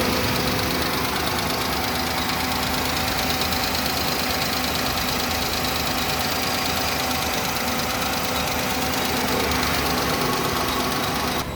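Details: Suzuki Alto engine at idle with a rough, uneven tick about three times a second over a busy hiss; something knocking inside, cause not yet pinned down.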